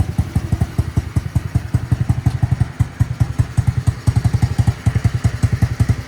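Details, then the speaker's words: MotoBravo Roma150 scooter-engined motorcycle, reassembled and running after fuel mixture screw tweaks on the carburetor: even, quick low thumping at idle, about eight beats a second, no knock or misfire; small single running healthy. "So far, that's the progress I'm making. She's put together and running."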